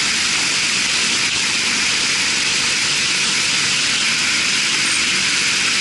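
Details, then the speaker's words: Marley cooling tower fan test run after repairs and oil refill, set up to factory spec and balanced; steady even rush of air and falling water with no knocking, rubbing or wobble; normal running. "all right guys she's running good man she is running good make sure all is tight"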